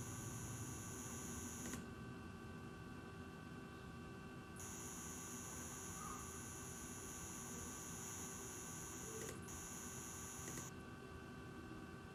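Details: Asus ROG Strix RTX 2080 Ti OC with a Ryzen 3950X at idle. A faint high buzz stops briefly whenever graphics load rises (opening Chrome tabs) and then returns. Owner suspects coil whine; mouse clicks are audible.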